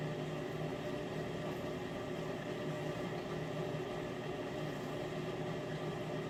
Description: This is the 2nd video showing the loud sound coming from the Miele unit when it is circulating water during the wash cycle.